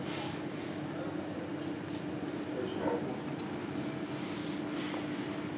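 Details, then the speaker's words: Filament winding machine at power-on with motions blocked for safety, nothing moving: constant low hum under a thin steady high whistle, the normal whine of the motors' variable-speed drives. "quand arrêts en route on l'entend on entend un sifflement le sifflement des variateurs de vitesse"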